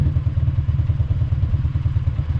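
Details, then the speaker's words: Convertible engine running very lean, 18–19 AFR on the wideband: low lumpy exhaust with uneven stumbling beat and dropped pulses, a steady full miss; engine misfire, cause suspected, not confirmed. "and it's also getting like a full miss for some reason"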